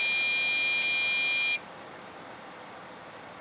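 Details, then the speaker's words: Dell OptiPlex GX620, Pentium 4 3 GHz, POST beep code 1-3-2 at power-on then hangs: memory not initializing despite RAM swaps; fixed by replacing motherboard and front panel controller board with OptiPlex 755 parts. "error code 132 according to Dell's diagnostic manuals for this particular um computer state that that means there is something wrong with the memory or the memory isn't being initialized properly"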